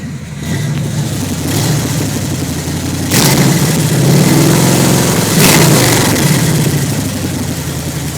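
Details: 1991 Ford Mustang: uneven lumpy idle that stumbles when blipped, pulsing roughly three a second; engine misfire, cause not found.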